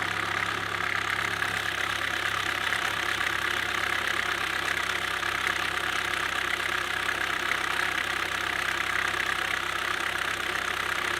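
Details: 2007 Chevy Cobalt SS Supercharged idling with a loose, irregular knock of about three or four beats a second; just fitted a brand-new "v2" cam/timing chain tensioner, which seems quieter but is hard to tell and does not appear to have fixed the knock, cause not pinned down.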